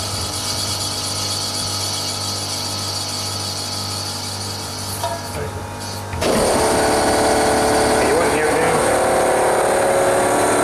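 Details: Newly replaced fan motor in one of two units running with a steady low hum, then a louder airy rush as it speeds up; no knocking or grinding; normal fan motor running.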